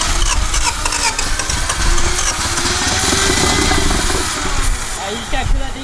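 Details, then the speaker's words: 1991 Honda CRX Si barn find, engine freed after sitting 10+ years and first run on fresh fuel: rough, lumpy, uneven idle that stumbles and shakes, running on two cylinders; spark present at cap, owner suspects two stuck fuel injectors. "running by itself. Not very good. It's running on two cylinders. That's kind of cheats, but um it's possible we have two stuck injectors because this spark plug has fire and so does this one."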